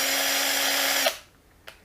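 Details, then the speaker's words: Erbauer impact driver after teardown and clean rebuild: brief smooth steady high whine from unloaded motor, no heavy sparking, then clean spin-down; motor runs freely, though hammer action still locks up, ungreased. "Okay then. Finally got it to sound like this. See? Not heavy duty sparking."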